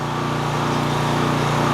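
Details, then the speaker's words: 4 kW generator under repair: small engine screams at a high, constant pace, output 59 Hz and 128 V instead of 50 Hz and 240 V; overspeed, owner suspects the governor was wound up after it bogged down. Cause suspected, not confirmed. "it's running at 59 Hertz not 50. so it's nearly Americans back and it's only got 128 volts got 240."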